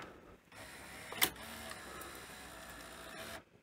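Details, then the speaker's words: Panasonic NV-V8000 VHS deck after deck and front-loading carriage timing: short motor whirr with one sharp click, mechanism cycles and the pinch roller engages but the tape never moves; the carriage may not be lowering fully; unconfirmed. "it is it's rotating so yeah I don't know but yeah nothing's sort of happening pin roll is fully engaged"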